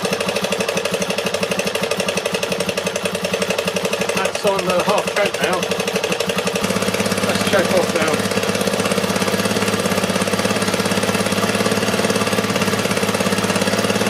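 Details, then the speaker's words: Restored barn-find Honda XR250R single-cylinder, stone cold, petrol on, on choke: even thump at idle with brief stumble mid-clip, then steadies; healthy cold idle after 8-month restoration. "So, going to start it up. It's stone cold at the moment, so it might take a few. Petrol on choke on."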